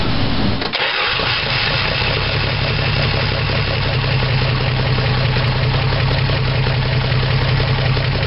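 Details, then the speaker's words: 1975 Dodge D100 slant six, after cleaning dirty points and a vacuum line: cranks, catches, then idles with an uneven stumbling miss. "but it does act like it's running now but she's missing a little but we got to figure that out"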